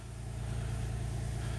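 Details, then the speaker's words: 2003 Nissan Altima VQ35DE V6 idling just after a timing chain tensioner repair, with a steady, even low hum and no ticking; alternator disconnected so its warning light is on; engine runs healthy. "hey no ticking no nothing your uh alternator light is on because the alternator is not hooked up but it running it's purring like a kitten listen to that just the way God intended isn't that beautiful"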